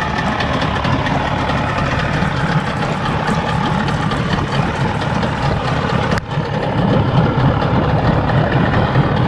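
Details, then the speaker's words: 50 HP Evinrude/Johnson outboard on a Sea Nymph boat, older long-sat motor after tune-up, just cold started: steady even low idle, soft regular burble, no misses or knocks, water flowing fine; normal idle. "guys I love that that idle especially especially on a motor this age um a low idle is something that is one of the hardest things to get"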